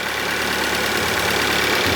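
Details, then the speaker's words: Kia Soul with a newly installed replacement engine, first start after a failed earlier repair: the petrol engine idles quietly and steadily with no misfires or knocks. "Well, this sounds pretty good. No misfires. Runs quiet"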